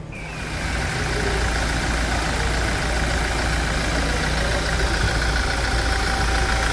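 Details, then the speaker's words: 2016 Toyota Hilux 2.8 GD diesel, 350,000 km, hood removed, after timing chain replacement: steady, even idle clatter with a smooth low rumble and no knocks; normal idle, running much smoother than before. "quem percebeu que o o funcionamento tá muito mais suave agora das outras melodias"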